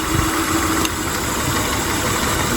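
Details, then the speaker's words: 1999 Honda Odyssey, about 301,000 miles, that had been sitting. Rough idle with a faint irregular stumble. Cylinders are unplugged one at a time: the front three change the sound, and a rear one shows no change, marking the misfiring cylinder. "it definitely slows the misfire so we'll just unplug each of these and see if it gets worse hear that one change yeah so that's not the one"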